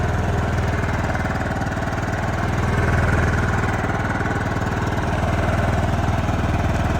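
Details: John Deere LT155 riding mower, previously crank/no-start and quitting after 5 seconds, now running: steady, even single-cylinder thump about four beats a second, no misses or knocks; owner first suspected stator, then flywheel magnets. Normal running.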